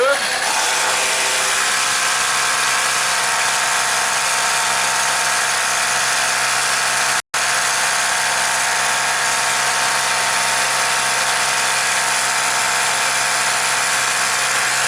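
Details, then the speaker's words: Craftsman four-cycle mini cultivator on a new aftermarket carburetor: a steady fast buzz with even firing. The idle is raised because the throttle cable is hanging up, and there is a slight squeak the owner suspects is in the clip. Runs clean. "the throttle cables hanging up is actually holding it up off of idle a little bit got a little bit of a squeak i'm not sure what that is probably down in the clip i would say actually sounds like running pretty good idle's up good"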